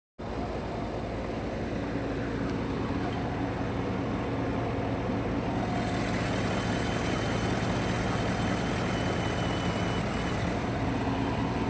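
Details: Chevrolet Silverado V8 petrol after replacing #1 and #6 injectors: smooth, even idle rumble with no stumbles or skipped beats — misfire gone, normal idle.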